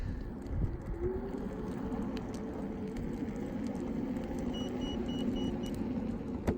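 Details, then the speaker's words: Gotrax SRX Bluetooth hoverboard at top speed (or steep incline, motor near its limit): run of short, evenly spaced high warning beeps over rolling wheel noise; backing off speed stops it, continuing cuts motors and causes a crash. "One other thing I wanted to point out is with any of these Gotrax hoverboards, when you reach the top speed, or if you're on a really steep incline and the motor's about to give out, you get a warning beep."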